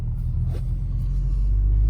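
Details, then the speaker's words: 2003 Mini Cooper S test drive after replacing the CV axles: steady low road rumble, smooth and quiet, with no CV joint clicking. A slight rattle is heard. "i'm gonna see if the tires fall off of this thing hopefully they shouldn't and uh see if i hear any uh well no clicking at all"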